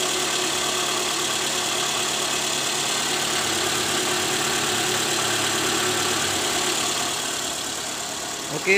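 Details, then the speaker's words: Toyota Alphard 2AZ-FE, after replacing a worn balancer shaft with play at gear no. 1, which caused a rough noise from around the oil pan worst at cold morning start: restarted engine now idles smoothly, steady even hum, no knock. "sudah sangat jelas berbeda bunyinya sekarang sudah halus Jadi udah nggak ada bunyi kasar lagi diare mesin"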